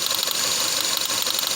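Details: Boxer four-cylinder petrol engine: rough, lumpy idle with a tinny, uneven thrash and missing beats; misfiring, running on only two cylinders.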